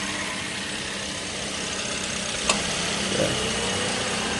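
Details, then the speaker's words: Car engine just started, idling with radiator motor fan switched on auto to check it runs; steady even idle with soft fan whir, no knocks or misses; fan working, everything running smoothly, safe to use. "Okey, motor fan dia hidup guys. Jadi semua dah berjalan dengan lancar."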